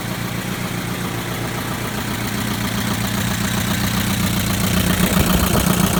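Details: 2011 Chevrolet Equinox LT, 2.4L, 132,000 miles: steady idle with a fast, fairly even light tick over the engine note; ticking noise at idle, cause not confirmed.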